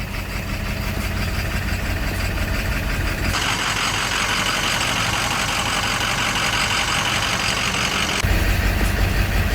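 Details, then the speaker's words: Ford 7.3 Powerstroke diesel idling with heavy clattering knock and a surging, rising-and-falling idle from a bad injection pressure regulator (IPR), along with poor performance, vibration and slight misfire. "this is a bad IPR and it does the same thing with the idle at idle it'll jump back and forth but listen to this it's real obvious you'll hear the clacking I know it's a 73 but hear how knocky it"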